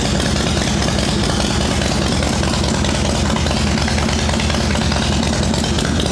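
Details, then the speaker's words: Shovelhead V-twin chopper, day after rain soaked the ignition and caused delayed, off-timed firing; wet plug wires/caps suspected, points and condenser found fine. Steady, loping idle with an even beat and no misses; runs normally. "That sounds fine right now. Alright, we're not doing points and condenser."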